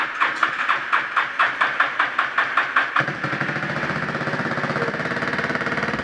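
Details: Yamaha 350 Warrior first start after sitting for years, with a new aftermarket carburetor, good compression and a gas bottle hooked up: even cranking about three seconds, then the single catches and settles into a steady, regular idle; normal start.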